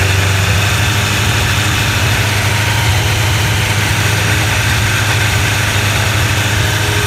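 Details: Honda CBR1100XX at idle before repair: fast even metallic rattle over the engine beat; worn cam chain tensioner lets the chain slap, fixed by tensioner replacement.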